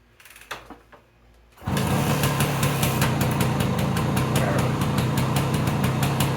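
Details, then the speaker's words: Suzuki K11 single-cylinder kick-started in neutral with choke, being readied for a 50-mile ride; a steady, even patter settles at idle and rises slightly with light throttle. Idle seems okay: normal idle. "The idle seems to be okay. Little throttle."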